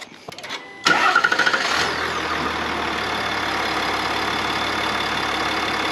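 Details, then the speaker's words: 3.0 Duramax diesel truck just after a PPE carbon-fiber intake pipe (pre-production) replaced an S&B pipe; quick crank, clean catch, then a settled, even diesel idle with no knocks or misses. Little sound change is expected. Normal start and idle. "now I will fire it up I'm not expecting much of a noise difference if any because I already had the s p pipe back there but for those of you with the factory unit you will notice a difference on sound and pedal response"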